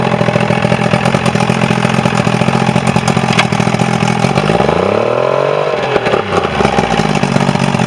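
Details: Quantum Mercury 90 outboard, final run after a no-start repair: it holds a steady, even idle, then briefly revs up and drops back smoothly without stumbling, running well.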